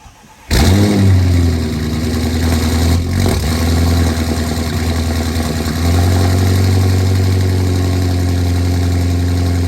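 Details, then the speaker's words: Engine-swapped Audi A8 cold start after flashing a new tune file, ECU still adapting; previously died about three times on the stock file: cranks briefly, fires first try, flares then settles to steady fast idle; normal cold start. "definitely better so it still got to adapt since the fresh pile but that was a whole lot better"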